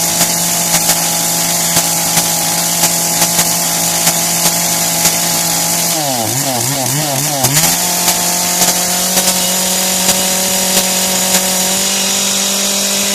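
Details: Kretec UDT two-stroke chainsaw on 25:1 petrol-oil mix, just started: high-pitched steady idle buzz, brief rev, then back to an even idle; running properly.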